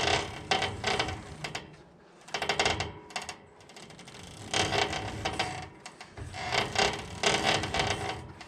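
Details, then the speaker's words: 2017 Woodland Mills HM130 sawmill, bandwheel turned slowly by hand while checking blade tracking: bursts of dry grinding and rubbing in uneven surges; owner unsure whether a bearing is going on that side; grinding noise when rotated. "if it's starting to creep forward or backwards if i keep going it'll come right off we don't want that that sound there doesn't sound good"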